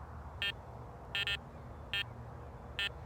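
Four short high-pitched tones over a quiet hiss, the second doubled, a clean coin response still coming through beside the nail.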